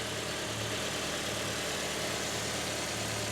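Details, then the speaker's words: 2005 Honda CR-V, K-series engine, right after the fuel injectors were removed and cleaned, restarted with air in the fuel system: fires back up into an even steady idle with a smooth low hum, no stumble, knock or misfire; normal idle. "and just like that fires right back up idling well let's go out to the front and see if we have any leaks"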